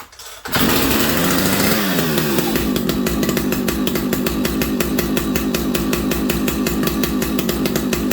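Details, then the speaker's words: Vintage old-school muscle chainsaw started on fast idle using the decompression valve; it catches quickly and holds a crisp, steady high-rev buzz with even firing, a normal healthy start and run. "Once again, I'll put it on fast idle, turn it on. I will hit the decomp just to make it a little easier in my life. See, like, nice. It's a nice saw."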